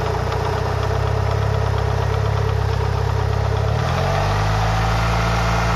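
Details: Mitsubishi Lancer Evolution VI 4G63T fully warm, oil about 85-90°C, idling: steady rapid knock on engine beat; owner unsure whether rod bearing or lifters.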